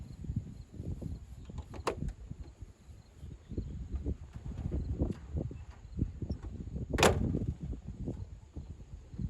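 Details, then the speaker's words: 1929 Ford Model A coupe at startup; slow, loping idle with uneven low puffs and chuffs on each firing pulse plus a sharp crack; known exhaust leak, to be repaired. "another thing that i'm going to point out is that this car has got an exhaust leak which is also going to be addressed it will not have that when this car is ready to go"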